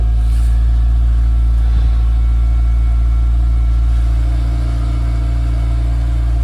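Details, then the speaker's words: VW Mk2 Golf GTI 16v on its first start after sitting unused, with a fresh battery fitted. The engine drones at throttle-held revs and will not settle to idle without throttle, though it later idles when throttle is eased off gently. Reluctant to idle. "Let's see if it will idle. Just give it a bit more, get more revs first. Don't really blame it if it doesn't want to idle."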